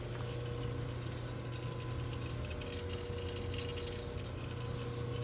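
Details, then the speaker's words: Boiler combustion chamber on a service call, glowing inside: steady low burner rumble with a soft liquid fizz on top, oil sizzling on carbon buildup (clinker) formed from cold oil. "You hear that oil sizzling? It's either sizzling or flowing. Either way, it's making some noise."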